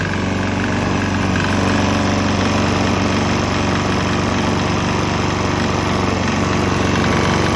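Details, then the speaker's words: Swan X 165F Chinese single-cylinder diesel on a 50% used motor oil / 50% diesel mix; steady chug about four beats a second, no knocks or misses. Earlier bucking and stumbling seemed to clear after it transitioned to the mix. "There was kind of bucking and stumbling, but I think it cleared up after it transitioned to the straight diesel motor oil mixture."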